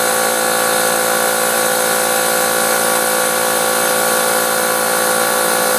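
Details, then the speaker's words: Tire filled with air after a wire punctured the tread face: steady airy hiss with a faint whistle escaping from the puncture, before the slime sealant is spread by driving. "so now I have the tire filled up and you'll hear the hissing that hissing is where it's right back in there is where the wire went through the face of the tire"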